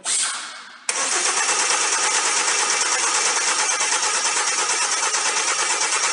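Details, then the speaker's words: 2012 Hyundai ix35 G4KD engine at 149,000 km after rebuild (block bored 0.5 oversize, new timing chain, polished journals, repair pistons): short crank, quick catch, then an even steady idle with no knock or tapping, running excellently. "так самый живой мотор работает отлично уже прокатились пару раз"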